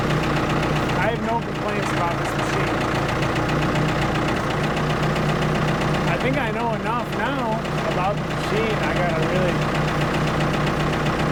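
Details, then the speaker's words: Ford 655A backhoe diesel idling at constant pitch with steady even clatter, hydraulic squeaks over top; engine sounds good, blow-by basically none, normal idle. "so the engine sounds good I'm not worried about that at all"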